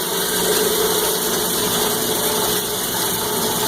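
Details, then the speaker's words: Cumberland 7.5 hp granulator, 12x12 chamber, after grinding copper wire and switched off: grinding gone, only an even whir and hiss as the rotor freewheels, taking a minute or more to wind down; normal coast-down after stop. "And it takes a few minutes. The light went out when we push the button. Takes a minute to wind down."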